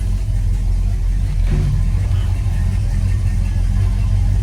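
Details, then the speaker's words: 1970 Buick Electra, believed 455 V8, odometer 12,970, warmed up with AC on high: deep, smooth, low rumble held steady while pulling away on a test drive, no knocks, ticks or misfires; sounds healthy. "sounds good. I believe it's 455. I can't remember."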